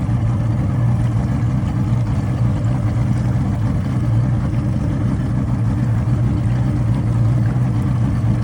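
Low, uneven idle with irregular stumbles in the beat, the motor hunting after stalling; it's misfiring, cause unclear.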